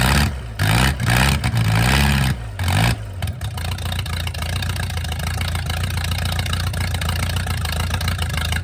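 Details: Mercruiser 470 3.7L carbureted marine engine, first run in 16 years, automatic choke not working properly: several uneven cranking bursts, catches around three seconds, settles into steady even idle; normal start and idle.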